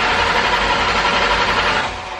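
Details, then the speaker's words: Cobra, no start after it last ran and was driven in: the fuel pumps whir steadily with a thin high whine after cranking, sounding different and never building resistance. Owner suspects the fuel line was pushed off inside the tank or plastic lines popped. "that is weird I don't know boys I wonder if it push the line off in the tank or popping those plastic lines or something"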